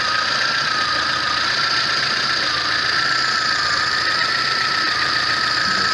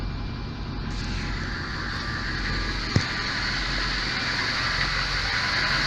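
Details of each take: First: VAZ 21099 after a burnt valve was replaced; the earlier misfire, shaking and hunting idle are gone: steady, even idle with no dips or shaking, compression now equal on all cylinders. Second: VAZ 21099 engine, cold start: rough, uneven idle with speed drifting and shaking, worse as it warms, power lost; sensors, injectors and air leaks checked; one cylinder misfiring.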